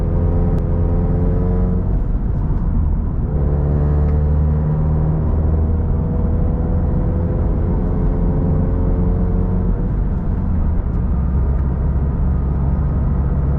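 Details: FRS/BRZ/86 boxer, automatic engine converted to manual, equal-length headers, two resonators limiting drone: exhaust note climbing and dropping through revs while pulling through gears, clean and even, no drone or leak; healthy.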